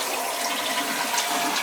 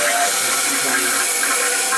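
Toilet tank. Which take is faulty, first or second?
second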